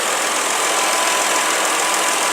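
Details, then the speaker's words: 2002 Porsche Boxster S 3.2L after intake manifold installation fixed a large intake leak causing cylinder 4, 5 and 6 misfires; codes erased, engine now idles smoothly with a steady even hum. "So I erased the codes, misfires on cylinder 4, 5, and 6, and connect that, and now, as you can hear, the car is running very, very, very smooth."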